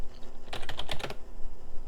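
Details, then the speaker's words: Packard Bell Legend floppy drive reading a DOS boot disk: short burst of quick, sharp head-step clicks over a faint hum; sounds rough but reads and writes normally. "Let's try the big boy. Sounds like crap, but it is working."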